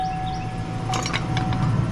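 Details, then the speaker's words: 1998–2007 Chevrolet Silverado with a new fuel pump installed and the bed still off: a thin, steady mid-pitched hum under some rumble and clatter as the pump runs, confirming correct wiring. "I don't know if you can hear that, but I can hear the fuel pump humming. So that means we have done this correctly, wiring is correct."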